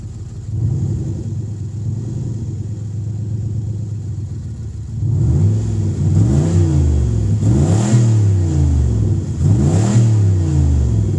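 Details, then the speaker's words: Cadillac 300 hp Northstar V8 with a broken exhaust, just started after a blown fuse was fixed. It idles with a deep, loud, raw rumble, then revs three times. There's definitely an exhaust leak underneath. "There's definitely an exhaust leak under there."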